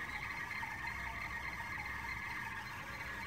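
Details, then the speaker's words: Toyota Aqua/Prius C petrol hybrid, after running in hot weather with AC on, then AC and car switched off: faint steady high whistle around 2 kHz from the AC pipe and compressor; a Toyota technician says it is normal in heat. "आपके जो एसी का पाइप है और एसी का कंप्रेसर है वहाँ से आ रही है। मैंने टोयोटा के टेक्नीशियन से बात की थी ऑनलाइन और उसने ये बोला था कि ये आवाज़ आएगी और ये आपके एसी से आवाज़ आती है।"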